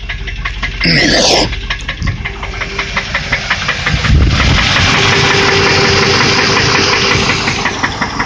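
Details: Land Rover Discovery after 30 minutes running, warm idle, no overheating; steady, fairly regular tick over the engine note from a leaking exhaust manifold.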